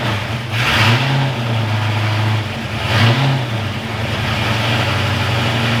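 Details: Ford Foxbody V8 freshly rebuilt in one day: smooth idle with two crisp throttle blips climbing and settling cleanly; warmed to about 200 degrees before thermostat opened, no oil leaks, running pretty good, normal running.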